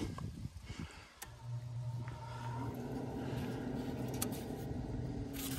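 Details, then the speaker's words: 2017 Heatmaster G100s outdoor wood boiler draft fan, run on cold start after creosote scraping and fly-ash vacuuming: after handling noise a low steady hum, no scraping or wobble; fan running normally. "She looks like she's running pretty good."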